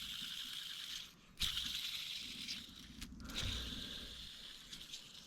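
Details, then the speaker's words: NB Miata, during a timing belt and water pump job: a removed timing-belt pulley spun by hand gives a gritty, rattling hiss instead of a smooth whir. The rough bearing is likely part of the problem. "Yeah. Bearing shouldn't sound like that. So that might have been part of our problem."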